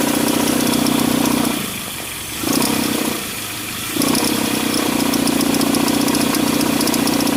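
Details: Mitsubishi ASX noise when accelerating: steady droning hum on the engine note dips twice and returns; accessory belt vibration from a worn alternator overrunning clutch pulley, fixed by replacing the pulley.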